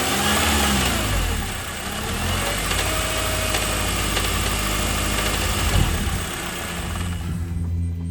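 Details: 2009 Honda Accord 2.4 petrol engine revved up and down: loose, uneven rattling at lower rpm; cause not yet found.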